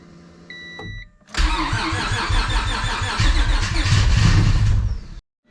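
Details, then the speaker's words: Honda Civic hatch with nitrous stroker V6 swap, first start attempt on new ECU base map: short chime, then about four seconds of strong rhythmic cranking, roughly four beats a second, never catching; cranks, no start, seemingly on the verge of firing. Owner suspects base map. "we are so close it really wants to go oh we're right there so close we're like on the verge of firing up"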